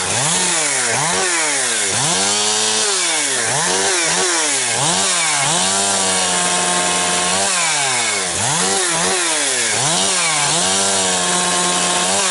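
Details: Husqvarna 362XP Special chainsaw cutting firewood with a wrong rev-limited ignition coil fitted by someone else: climbs each cut then flattens and burbles at same ceiling, well off RPM; leaning mixture doesn't help; coil to be replaced.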